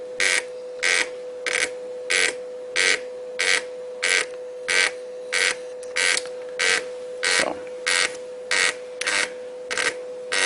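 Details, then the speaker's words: CTT5 current transformer analyzer's built-in thermal printer printing the short test report: regular buzzing print bursts about every two-thirds of a second over a faint steady hum; printer working normally. "all right so it's going to print out the information about the ct tester then print out the information about the see not the ct yes the ct that we're testing"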